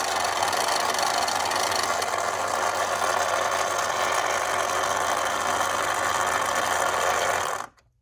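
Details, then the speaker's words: 1960s Remco Tiger Cat toy jeep after gear repair, tension on the tire, low then high: steady, even whirr of plastic gears, no skipping, pulls strongly with good tooth engagement. "Nope, doesn't make any weird noises. Fan's still turning. Sounds great. Let's try high. Sounds good. Doesn't skip. Pulls nice and strong."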